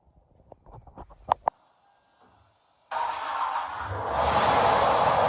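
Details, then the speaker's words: 2012 Toyota 4Runner (5th gen) after starter replacement following slow starts from mud-pit submersion: a few clicks, pause, then engine catches at once and runs smooth and steady; starts normally. "should be ready to hook the battery back up and just start it up make sure it works before you put the wheels and tires back on and uh should be good to go"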